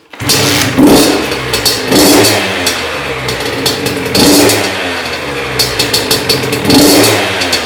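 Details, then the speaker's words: 2001 Honda CR80 two-stroke after cylinder head, studs and gasket replacement for a head coolant leak. Crisp buzz with repeated throttle blips, picking up cleanly and settling back, no misfire; normal running. "Alright guys, I just checked the coolant, it looked like it didn't go down anymore, so I'm just going to start it up again, maybe ride it around real quick."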